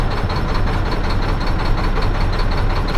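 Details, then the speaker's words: Mack diesel truck idling rough after new check valve, banjo washers and injector work: heavy uneven lumpy knock stumbling instead of an even beat; owner suspects air in the fuel line at the fuel pump, plans to prime again, not confirmed. "we could still have air in the line but we can try to prime it one more time it's like if you get an air bubble right there at the fuel pump it could cause that problem"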